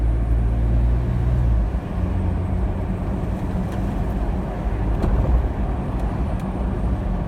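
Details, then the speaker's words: 2018 Jeep Wrangler after a suspension lift, which had a passenger-side front popping/thumping; after tightening the sway bar link, only road and tyre noise over bumps and turns, no pops, clunks or knocks. "yeah it sounded very good through the bumps and the turnaround back there"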